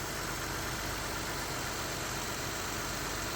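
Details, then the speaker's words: 2006 Ford Escape 3.0 V6 after replacing both leaking valve cover gaskets with Fel-Pro and reconnecting a loose vacuum line; steady even idle with AC on, chopping noise gone; normal idle. "so we're looking good there we are cover's back on now you'd never know it was leaking all over the exhaust manifold"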